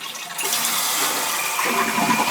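A strong rush of water starts promptly and drains steadily into a refill hiss; the toilet flushes properly.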